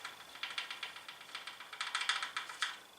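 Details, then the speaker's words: Bicycle riding over bumpy terrain: light, rapid knocking, about seven taps a second, from the inner-tube valve rattling loose in its rim hole; fixed by fitting the valve nut or gently wrapping electrical tape around the valve. "so the scenario of this will be you're riding along and when you go over any bunker terrain you'll hear a knocking noise very similar to this"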